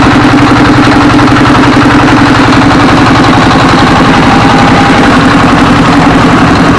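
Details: S1115 24 HP single-cylinder diesel that had thick black smoke and surging throttle; after service it idles normally with reduced smoke, a steady, even thump around 220 a minute and no misses.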